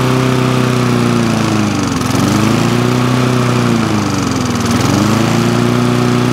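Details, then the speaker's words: Briggs and Stratton lawn mower engine that would not start, running after quick carburetor clean and main jet refit, air filter removed; strong steady drone swelling and easing as governor works; starts, stops, runs normally. "there you go start stops cuts does what it should do"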